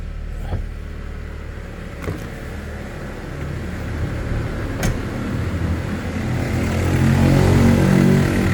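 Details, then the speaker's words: 2017 Honda HR-V 1.8 at its 120,000 km service, started cold: even idle with light, regular ticking near four per second that appears in gear, builds under load and stops in neutral. "pessoal Ó tem uma vibração aqui uma barulho tá não motor tremer tá motor não está tremendo mas realmente tem um barulho aqui tem um barulho eu não sei da onde é"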